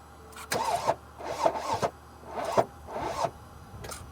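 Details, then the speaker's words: 2014 Mercedes GL350 3.0 L diesel, starting fluid sprayed in intake, battery charger on: uneven cranking nearly catches then stumbles out; near-start then stall, fuel delivery problem doubted. "Interesting. It almost started and then now it would try again."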